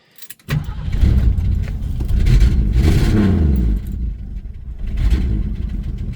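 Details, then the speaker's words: 1974 Mercury Comet, old Ford six-cylinder, started slightly cold after a short move: brief crank, then a steady, slightly lumpy, tractor-like chugging idle. A healthy start. "little little cold but there she comes coming back to life just kind of sits there and chugs along sounds like a tractor just like all old Ford six-cylinder should"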